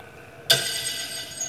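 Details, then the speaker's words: Old lathe motor (single-phase dual-capacitor AC induction, 110 V, 13.6 A, 1 hp, 60 Hz, 1720 rpm), temporarily wired for testing, coasting down after switch-off: a short ringing squeak as the centrifugal switch closes again. This is normal. "can hear that squeak as the centrifugal switch makes contact as it spins down"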